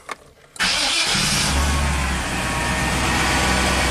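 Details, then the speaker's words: 1996 Chevy K2500 V8 with lean codes P0171/P0174, after new injectors were fitted, at 54 psi fuel pressure: quick crank, it catches at once and settles into a steady, even idle; normal start and idle, both sensors reading rich. "oh yeah this this truck is happy I can tell"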